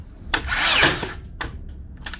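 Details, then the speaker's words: Makita DBN600 cordless second-fix finishing nailer whirs and snaps through its cycle but no nail-driving crack follows; blank firing, piston suspected not returning far enough, not confirmed. "right we have a problem yeah definitely a problem not so much not sinking the nails it's not firing them at all sometimes"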